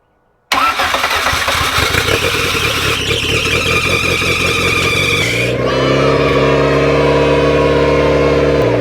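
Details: 1994 Honda Civic EX, first start-up of newly rebuilt engine, in neutral: starter cranks in quick beats, catches and settles to a steady even idle, no knocks; healthy start.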